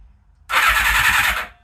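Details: Suzuki Katana motorcycle after rewiring, coils not yet connected: brief even starter whirr of about a second, no grinding or clicks; starter spins engine cleanly, normal cranking.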